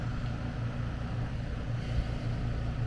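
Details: AC condenser running after repairing a compressor disconnect where a mounting screw shorted a high-voltage leg and tripped the breaker: steady low hum with even compressor drone, no clicks, rattles or buzzing; runs smoothly at about 239 V.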